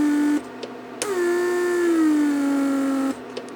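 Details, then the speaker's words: 1999 Mercedes S-class (S500) central locking PSE pump, repaired and bench-tested with a small vacuum leak left on purpose: whining in short runs, cycling on and off constantly, which would burn the motor. "Basically, I just left a little opening, so it will just continue leaking vacuum, and pump constantly cycles, and that would burns the motor."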